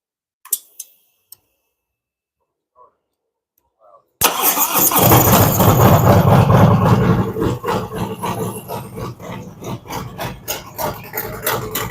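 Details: Fresh-built V-twin motorcycle cold start during a ThunderMax initial idle tune, with a choke-like rich warm-up mixture: quiet, then catches into a loud, lumpy but steady idle of about three pulses a second as cylinders balance out; normal.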